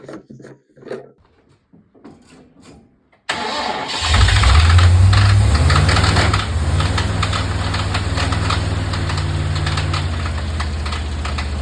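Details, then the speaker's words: Ford Falcon XC engine first started in years, fuel poured into carburetor: cranks, catches, roars up, then runs rough with fast steady light top-end chatter; rocker covers removed, push rods tight, engine later locked up. "I've taken the rocker covers off because it sounded um chattery and top end, but it's a bit hard to tell because I'm I'm only listening to the camera footage to try and work it out."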